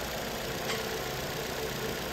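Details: Vauxhall Astra after fixing code P0171 (lean, bank 1) by replacing the valve cover with its integrated PCV valve: quiet, steady idle with an even hum and no hunting, surging or hiss.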